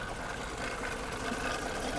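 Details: 2013 Jeep Grand Cherokee 5.7 V8, about 160,000 miles, held at about 1500 rpm: rough busy metallic clatter persisting as revs rise, knocky; top end not bottom end, suspected internal damage from overheating, unconfirmed.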